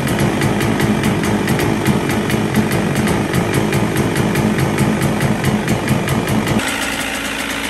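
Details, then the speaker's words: 1977 Evinrude 35 hp two-stroke two-cylinder outboard after manual ignition timing, first run: crisp, rapid popping idle with a light uneven lope at times, then steadies; holds a good idle, untested under load. "but the fact that it starts it runs it holds a good Idol mostly you can't really tell how an engine's running until it's under load"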